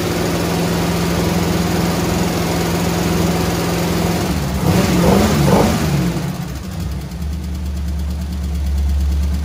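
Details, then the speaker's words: Squarebody Chevy C20 V8, flat-tappet lifters with little run time after rocker arms readjusted half a turn; idling then revving with quick ticking following engine speed, lifters won't pump back up, judged a total loss; collapsed hydraulic lifters to be replaced. "i was also hoping with it uh having a little a little bit of space between the uh push rod and the lifter and the plunger and all that happy horseshit that it would hit the plunger in the lifter just right and bring it back but i'd say it's a total loss"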